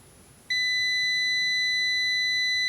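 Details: KAIWEETS KM602 multimeter in continuity/resistance mode: steady high-pitched beep starts abruptly and holds without wavering as the continuity buzzer sounds on a closed circuit.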